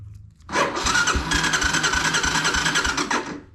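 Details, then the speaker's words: 1985 Honda Fourtrax 250 ATV with new battery, new fuel line and filter after rear end rebuild; electric start, not working before, now cranks evenly at about three turns per second without firing, steady whir; normal starter cranking. "Glad the electric start was working. Wasn't working when I was trying to kick it or uh jump it."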